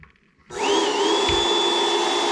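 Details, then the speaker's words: Ryobi 150W inverter powering an Intex inflatable-mattress air pump: the motor spins up quickly to a steady high whine with even airflow and no labouring. The EGO inverter had tripped on over-current with the same pump. Normal running. "wow it's working perfectly okay very cool"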